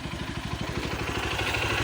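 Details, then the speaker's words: Honda XR150 that kept stalling after riding a few kilometres (pulser and key switch already replaced), road-tested after CDI replacement: even, rapid firing pulses about a dozen a second, no cutting out or stumbling; runs clean, CDI was the fault. "So hindi naman siya namatay kasi ang issue niya namamatay siya."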